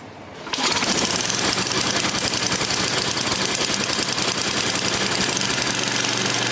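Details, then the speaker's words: Yard Machines 24-inch snowblower, 8 hp Tecumseh engine, hard-starting, sat a week, cold start around 20-something degrees, full choke, about seven primes: catches then runs with a fast uneven crackle; still cold, needs more choke and primes. "seven got it warm up you need more choke another couple of primar it's cold leave the joke on for a little bit"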